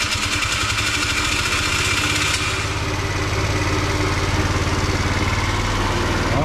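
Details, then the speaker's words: Tao Tao 50 (ATM 50 / Pony) Chinese Honda Dio-clone two-stroke scooter, rehabbed, new carburetor fitted, throttle cable not yet connected, after four to five minutes' running: fast, even buzz holding a steady idle with no misses; idles really well. "it's been running about I want to say four or five minutes now in wow trailer is non-existent sounds pretty good Idols really well"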